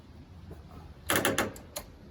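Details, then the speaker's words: Toro zero-turn mower starter solenoid chattering, five quick sharp clicks: a weak battery energises the electromagnet but can't hold it closed while feeding the starter; fixed by charging the battery overnight. "you can hear it clicking but the electromagnet is disengaging you that that is the electromagnet touching off on off on off on off and the power's going through the lines to the motor but the electromagnet is not staying closed"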